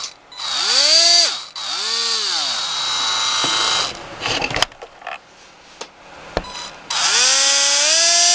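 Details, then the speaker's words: SC-10 RC car bought for $30, brushless motor tested held up off the table: clean whine rising and falling smoothly with each throttle burst, no grinding, rattle or stutter; motor and ESC work properly. "i paid 30 for this whole car with all the stuff that came with it and this motor and stuff works"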